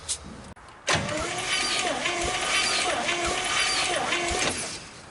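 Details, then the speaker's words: 1956 Studebaker Golden Hawk, possibly unrun ~50 years, cranking on compression test: slow, uneven starter cranking with weak irregular beats, no firing; cylinder reads below 60 psi dry, oil added for wet test; rings suspected, blow-by feared. "All right, we're below 60, so let's put some oil in it and see what happens."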